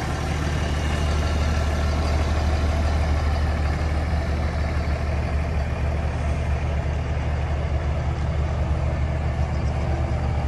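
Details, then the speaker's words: 2003 Dodge Ram 2500 Sport 4x4, 5.9 Cummins common-rail diesel, automatic, 85,668 miles, one owner: steady, even low idle rumble with smooth unbroken rhythm and no knocks or misses; healthy. "let's go ahead fire this five nine up so we can hear it start"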